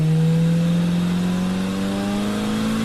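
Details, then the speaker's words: 1978 Oldsmobile Cutlass 403 V8 on the road with a lot of weight in the trunk, after something apparently blew out of the exhaust: smooth, steadily rising engine note with no misfires or knocks, pulling cleanly; normal acceleration under load. "I think I blew something out of the exhaust so it's running a little even a little bit better so here listen to"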